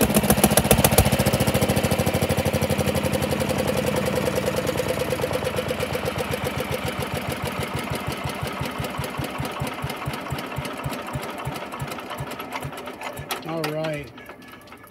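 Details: 1947 Pond lever-steer tractor after clearing mouse nest caught on flywheel and pressure plate, which had caused severe vibration: even, steady thumping beat slowing and settling, no shake, knock or rattle; vibration fixed, normal running.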